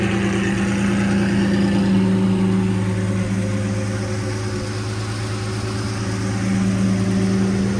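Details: Lamborghini Murcielago V12 after repairs (new filters), warming up on a heat cycle: a smooth, even idle with a steady low hum and a faint rise and fall, no stumbles or knocks. Normal idle.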